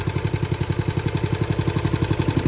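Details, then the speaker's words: Honda engine on John Deere reel mower, started on choke after removing a wing nut lodged in the starter: runs smooth and even, steady quick firing pulses, no knocks or misses; sweet-running healthy engine. "Man, that's a sweet running little Honda motor."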